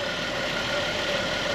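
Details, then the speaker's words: 2010 Buick Enclave CXL V6 with a steady, even idle, smooth whir with light hiss, no stumble or surging, after fixing a vacuum leak (throttle body idle-too-high code) and cleaning and relearning the throttle body. "o tiene algún o tiene algún leak y era que un backing y como lo labé Entonces le hice un reler también al Body"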